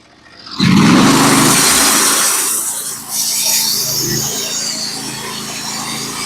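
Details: Norwood HD36v2 bandsaw mill with a Stellicut band, cutting 1x6 fence boards: the engine picks up briefly as the band enters the wood, then settles into an even, smooth rasp; a clean, steady cut.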